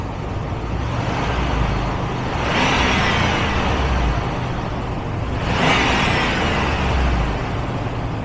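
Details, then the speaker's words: 2008 Ram 1500 with 72,000 miles, camera under the hood, after fitting the serpentine belt for a whiny hum/grind: engine revs up twice and settles evenly with no whine or grinding; noise gone. "And that noise is gone."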